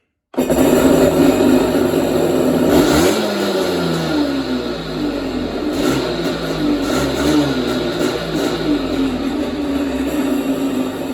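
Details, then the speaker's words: Kawasaki 650 SX stand-up jet ski fired up and briefly revved: starts cleanly and settles into an even buzzing run with a smooth rev; bilge pump also works; sounds healthy, normal running. "So sounds pretty good."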